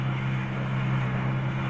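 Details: UM Renegade 180cc motorcycle after repair: the bad ignition coil was replaced with an AKT 110 Special ignition system. It now idles normally, a steady low hum with no misses or knocks, level and even throughout.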